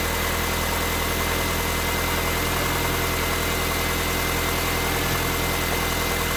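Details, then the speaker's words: Manual 2006 R53 Mini Cooper S at idle: even idle with a constant thin high whine over the engine note; owner suspects a pulley, source not confirmed. "i'm gonna go ahead and start it up and let you guys hear that noise that it's making i think it might be a pulley"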